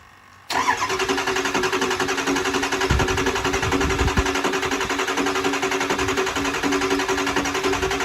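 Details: Kill Devil 600HP 6.0 Powerstroke in an Excursion build with Level 3 transmission: even starter cranking at about four beats a second that never catches. It cranks with no start and zero injector control pressure; they wonder whether the oil is high enough.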